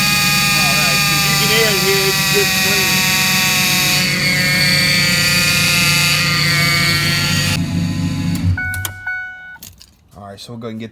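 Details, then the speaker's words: 2005 Ford F-150 5.4-liter at idle before pump replacement: constant high-pitched whine steady over the idle until shutdown, from a failing, extremely noisy power steering pump. "all right guys so today we have a uh 2005 Ford F-150 5.4 liter uh with a terrible power steering noise uh diagnosed it here is the pump"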